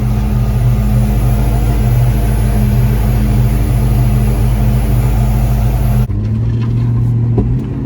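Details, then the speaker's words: 1995 Ford Mustang GT under throttle after a fuel filter replacement: strained, uneven low pops and no power. Fuel pump buzzing loudly and suspected; codes later indicated a bad coil pack. "Nope. Still no power and it's popping."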